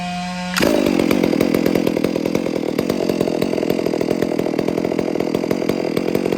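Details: Freshly rebuilt, built 460 chainsaw at wide-open throttle after ear-method carburetor tuning: snaps from idle to a steady high scream without bogging or surging, about 14,200–14,300 rpm on the high, idle near 2,800; clean, properly tuned run.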